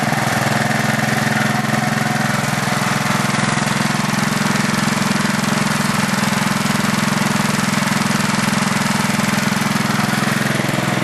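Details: Craftsman LT4000 lawn tractor, small engine on two-year-old unstabilized gas, carb uncleaned, slightly smoky at first start: even running with a regular tick about three or four times a second; owner suspects the valves, unsure.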